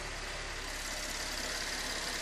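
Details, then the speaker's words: 2013 Chevy Impala after water pump replacement, whose old pump was suspected of failing bearings and whined when revved: smooth, even hiss and hum at idle with no squeal or whine; normal idle. "Before when I give her gas, that whining noise will start up again. So, she did need a water pump that was probably going out."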